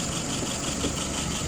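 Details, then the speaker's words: WO 636SA carburetor after its second rebuild, idling at about 675 rpm with fuel pressure about 2.5 and vacuum 23. A quiet, even, steady idle with no misfire or rattle. "Look at some numbers. Idle RPM. Up there, about 675. Looking good."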